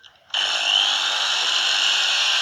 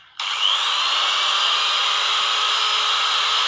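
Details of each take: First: Angle grinder runs with harsh, rough high whine and large sparking at the brushes; worn carbon brushes, risk of damaging the armature. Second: Angle grinder that sparked heavily at the brush holder and made a growling noise, after trimming and refitting the brush holder: smooth high-pitched whir spins up quickly, holds even speed, no crackle, rasp or sparking.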